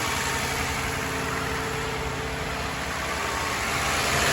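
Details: Toyota Highlander 2GR-FE V6, 183,000 km, codes P0300/P0301, knocks when cold: idles with slightly uneven, loping pulse from cylinder 1 misfire; swapping injectors, coils, plugs didn't help, engine being removed for overhaul.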